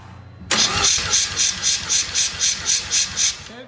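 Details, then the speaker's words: Rotary engine compression test, cranking with throttle open, front rotor strong at corrected 113: starter cranks about four pulses a second with slightly uneven pulse strength; reading shows rear rotor a little low. "Okay. That one's showing a little low on the back."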